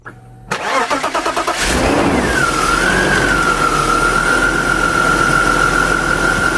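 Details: BMW E36 AC Schnitzer convertible, started after diagnosis and repair with clogged air filter noted: starter cranks about a second, engine catches cleanly and settles into steady, even idle; normal start and idle.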